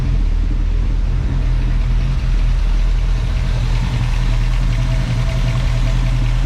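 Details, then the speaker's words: 1965 Ford Mustang, first start after restoration, warm with thermostat open and temperature gauge about half: steady low idle with slight lumpy dips and some lifter noise; carburetor idle mixture screw has no effect, so carb needs cleaning. "all right well looks like I'm going to have to take this car Breer part I clean it out because this adjustment screw isn't doing anything"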